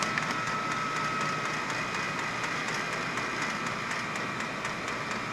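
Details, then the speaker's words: VEVOR diesel heater, first startup once fuel reaches it: a steady fuel pump ticking at about two clicks a second over a rising blower rush as combustion builds, and the exhaust is smoking. Normal startup. "Sounds like it's speeding up, so. Yeah, it's really pumping the shit out of it. Oh, the exhaust pipe's just chooching."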